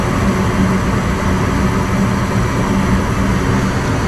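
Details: Gas furnace after replacing a failed control board that had stopped it from heating: steady, even rumbling roar with no puffing, pulsing or delayed ignition bang; burners lighting and holding flame normally.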